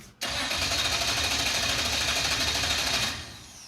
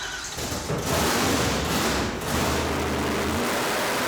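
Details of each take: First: 1970 Dodge Super Bee with a 440 V8, abandoned for years: about three seconds of steady cranking at roughly three turns a second that never fires; no fuel pressure because the pump wasn't running, later found ungrounded. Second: 1970 Dodge Super Bee, 440 big-block V8 with blower, just started and revved after the blower swap (throttle-body spacer, screen removed, wider throttle opening): a deep, loud roar that swells with throttle, no misses or knocks. The engine is healthy.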